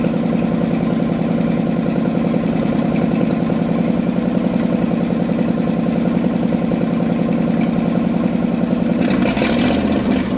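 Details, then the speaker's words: Abandoned Ford F250 V8, new starter fitted: uneven, lumpy idle with irregular pulses that falters near the end; runs only on choke, still running like gas, now hooked to its own fuel tank. "Still won't run without a choke. So, this still runs like gas, but we're going to get it fired up."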